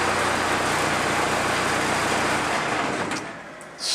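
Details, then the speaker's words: Cummins 4BT diesel in a 1968 Ford Bronco, first start in a long time: loud but smooth diesel idle with a loose tinny rattle the owner attributes to loose parts still on the Bronco. "It's loud, but once it gets past its initial startup, it actually idles pretty smoothly. There's a lot of rattling going on, but I think it's because there's a lot of loose stuff still on the Bronco, evidenced by a lot of it that just falls on the floor every time I start it up."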